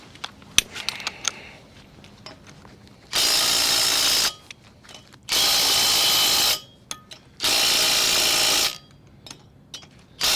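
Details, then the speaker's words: Ryobi impact wrench with 120 ft-lb torque stick on camper wheel lug nuts in cold weather: three bursts of rapid steady hammering, about a second each, until socket quits spinning; working normally. "When it's putting it on, you let it hammer for about 3 to 5 seconds on each lug nut. You want to make sure that the socket quits spinning, and then you know it's set to 120 foot-pounds, and it's perfect."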